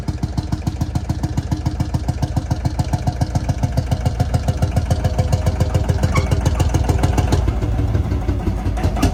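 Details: Field Marshall Series 3A single-cylinder diesel on its first start after a rebore and oversize piston, fitted after a piston ring snapped, likely from bore pitting. Slow, even, heavy thump at about 214 beats a minute with no knock or miss; normal running, better than before.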